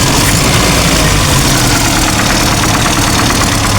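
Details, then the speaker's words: Old Toyota Kijang Kotak body super, idle after sitting two years: busy light clatter over a low rumble, valve-train ticking from camshaft/valve clearance setting out of adjustment; vacuum still works slightly. "Ini ada sedikit Vakum masih jalan. Nah, suarane kreki setelan noken, bro."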